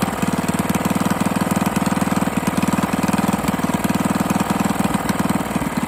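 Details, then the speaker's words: 98cc small single-cylinder engine first run after rebuild with better used parts and honed cylinder, break-in oil, intake leak suspected: sharp regular knocking about four times a second over idle; hand rotation shows clunk, loose connecting rod; no longer smoking. "I rotated the engine by hand, and there is a significant, like, clunk clunk. There's very little movement right there. That's a connecting rod being loose."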